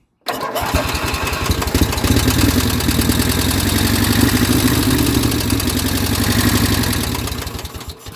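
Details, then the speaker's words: Abandoned Craftsman small single-cylinder engine on its third start, running on carburetor cleaner after new coil and wires: fast idle with a light, rapid tick over the exhaust beat; owner suspects valve noise from long disuse, hoping an oil change cures it. "it runs it sounds halfway decent a little bit ticky but uh i think that's probably just because it hasn't ran in fore"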